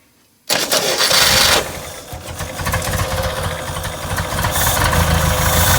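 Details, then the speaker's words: 1969 International Scout, long stored in a garage, first runs with the carburetor accelerator pump broken and disconnected: after a sharp start it settles to a ragged, uneven idle with hesitant revving. "the accelerator pump is not hooked up on this thing it is broke so you gotta kind of deal with it a little bit"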